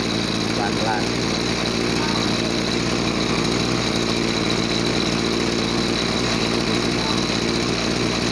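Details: Small two-stroke agricultural sprayer engine, formerly bogging with no power on throttle, after carburetor cleaning and air/fuel screw adjustment: steady, even buzz with no bogging or surging; normal running.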